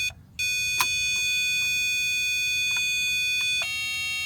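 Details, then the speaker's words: 1972 Pontiac LeMans with 350 Pontiac engine, sat over a decade: power probe applied to starter solenoid emits steady high-pitched overload alarm with click and pitch change; starter suspected bad, unconfirmed. "like i can hear it oh power probe is pissed"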